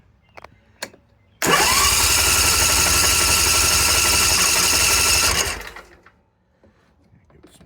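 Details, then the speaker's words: Simplicity 50-inch zero-turn with Briggs & Stratton 27 hp engine, after fuel pump and fuel line replacement and aftermarket carburetor, sat a few days: steady fast cranking for about four seconds without catching; needed more choke and throttle, then started; owner thinks it's improved. "As you heard, it did crank quite a bit. Um, what I found was I needed to choke it more and give it a more throttle and then it kicked right over."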